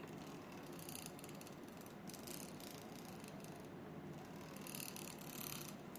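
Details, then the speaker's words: Edelkrone SliderPlus V6 camera slider: dry, rough grinding rasp with ratchet-like ticking as the motor moves the carriage or it is pushed and pulled; source unknown, needs repair. "Feels like something are um grinding or what's just some weird sound happening over here. So when you push and pull and when the motor are moving you can hear the little just some sound over here."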